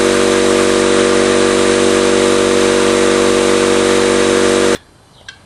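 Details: Campbell Hausfeld 20-gallon oil-less air compressor after replacing its compression ring: steady, loud pumping drone at about four strokes a second until shutoff, and the pump runs hot as expected. Slow pressure build was later traced to split copper tubing.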